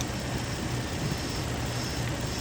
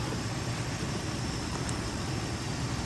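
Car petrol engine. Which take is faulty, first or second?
second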